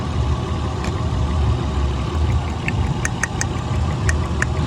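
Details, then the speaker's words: 2000 Honda Odyssey with flashing check-engine light and heavy shaking: rough idle with sharp, irregular snapping ticks as the middle rear ignition coil arcs and misfires; the coil needs replacing. "tenemos la bobina de media que atrás nos está echando chispas hay que reemplazar"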